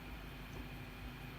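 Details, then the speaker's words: Infiniti QX80 idling in gear after throttle body and mass air flow sensor cleaning: a smooth, even low rumble with a steady faint hum, no stumble or misses. Healthy idle. "Nice and smooth, hardly any vibration. Nice and smooth. The RPM needle doesn't budge. Put it into gear."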